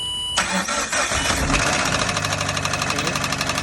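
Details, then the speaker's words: 2013 Scion FR-S with a no-start traced to a fuse box that is half dead, after a head gasket, engine rebuild and starter by earlier mechanics. Starter cranks briefly, catches first try and settles into a steady, even idle; starts normally. "First start up. Okay. All right, kill it. All right, so it starts now, right?"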